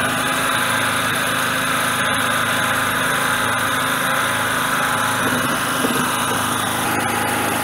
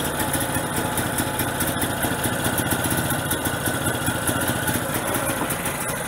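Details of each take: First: Generator small engine on petrol, choke off, before load added, run until fuel runs out: steady even buzzy run, no misses or surging at constant speed; normal running. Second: Generator on gas fed through regulator to carburetor, small bottle very cold with too little tank pressure, choke closed to keep running: uneven lumpy running with irregular beat never settling; fuel starvation from low gas pressure, bigger bottle needed.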